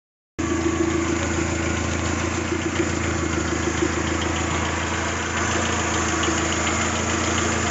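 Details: Toyota 3S-GTE four-cylinder at idle: a light, fast, even ticking rattle laid over a steady idle. A minor persistent rattle, with the cause not stated.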